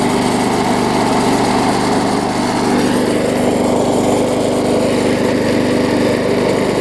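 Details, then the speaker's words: Bolens self-propelled mower after regapping the ignition coil to the flywheel, which had caused no spark: starts on first pull and holds a constant clean buzz at steady speed, no stumbling or surging; normal running. "so I can hear it does run good and start it up on the first pole which is always a plus"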